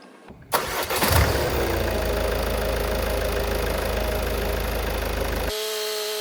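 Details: 2016 Ford Focus ST 2.0 diesel started after a service that included an oil, air, cabin and fuel filter change, with the fuel system primed first: brief crank, catches at once and settles to a steady, even idle; normal start.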